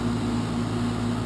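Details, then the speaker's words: 12-year-old outdoor heat pump, loud at start-up and while running, before replacement with a new unit: steady loud droning hum with a low pulsing tone: loud running heat pump. "so that's the existing heat pump as you can hear it's 12 years old loud on fire up and Loud running as well sitting right outside the homeowner's bedroom"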